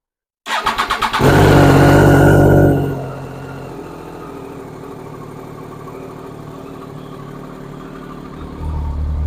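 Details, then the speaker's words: Crashed Triumph Daytona motorcycle being rebuilt, started in neutral after fuel was added to a near-empty tank: quick crank, a brief rev, then a steady, even idle with no misses. It runs normally. "right I've plunked a bit of fuel in yeah that sounds a lot better so we're in neutral"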